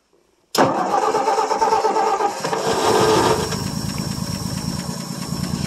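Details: 1959 Ford F250 longbed stepside, 223 (possibly 262) inline-six, cold start after 3–4 years unstarted, fuel poured into carburetor, muffler exhaust: cranks and catches at once, roars briefly, then steady slightly lumpy idle; starts and runs.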